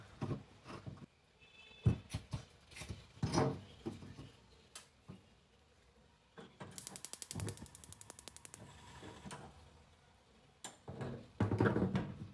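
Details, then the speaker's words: Shuaikang gas stove after soldering a new contact onto a rusted, broken battery-box terminal and adjusting the air shutter: rapid sharp spark ticks, about ten a second, then the burner lights immediately. "好了，你们看一打就着。好，这边也可以了，那就行了啊，没问题了。"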